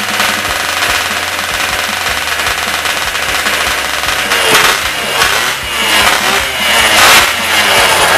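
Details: Yamaha Y110SS two-stroke motorcycle after cylinder wear repair and carburetor cleaning, which caused its unstable idle: crisp, even idle with a few light throttle blips, now normal.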